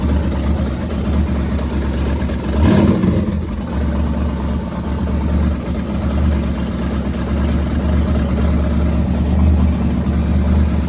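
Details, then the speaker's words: LY2 4.8 LS V8 on UA4C board ECU, second start on gas: catches quickly with short rev, steady even idle, no misfire; headers burning off, no radiator, water or alternator, temporary wiring, run only 30-40 seconds; healthy start. "Second start up on gas, cranks right up. Of course, stuff's burning off the exhaust, the headers and all."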